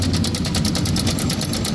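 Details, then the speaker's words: Honda Vario 125 scooter idling with a loud, fast metallic ticking, about eight taps a second, over the low rumble; throttle kept low for fear of worse damage, cam chain area to be checked. "Kedengaran suaranya jelas berisik. Jadi kenapa saya tidak berani tarik tuas gas terlalu berlebihan? Karena takutnya rusaknya lebih parah."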